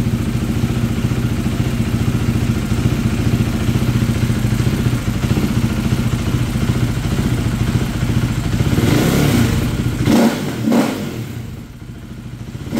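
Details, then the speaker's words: KTM 390 Duke single-cylinder just after an idle relearn, being tuned with a Power Commander: it chugs unevenly at idle and stumbles when blipped. Still running rough, so more fuel is to be added. "all right still running rough going to add some more fuel"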